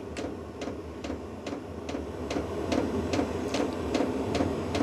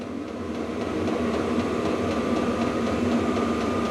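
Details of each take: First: A VEVOR diesel heater restarted after error 10 gives sharp, regular fuel-pump clicks a bit over two a second under a low hum as it tries to ignite; the ticking gets faster, then it warms to 17–20 degrees. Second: VEVOR diesel heater (about 5-litre diesel tank) in a cold workshop, first start, turned up to level 10 of 10: fuel pump tick quickens and fan roar rises with a faint high whine; normal running at full power, temperature ramping up.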